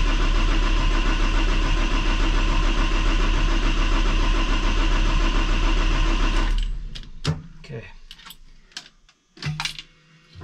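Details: Cummins ISL9 after in-frame rebuild (engine dusted from poor maintenance), fuel system being primed: strong, even cranking rhythm about 220 beats a minute for six seconds; cranking sounds good.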